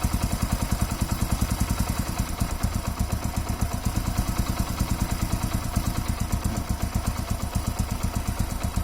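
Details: Hero Passion Pro single-cylinder motorcycle idling: quick, slightly uneven thumping; vacuum leak from a cracked hose feeding the secondary air induction from the engine manifold.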